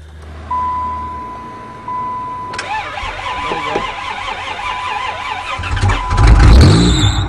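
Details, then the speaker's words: Old, well-worn Dodge van, hot-wired start after three months sitting, about 20°C, with a bad battery connection: starter grinds, then a fast warbling chirp before it catches roughly; owner suspects a seized alternator. "uh-oh i think the alternator is do that seized"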